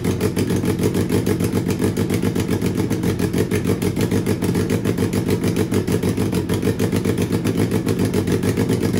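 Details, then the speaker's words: Turbo Suzuki Hayabusa engine with Power Commander/AutoTune piggyback, on first start: loud idle with a lumpy, uneven firing beat that never settles; running rough and super rich. "I know first start engine is running rough and super rich"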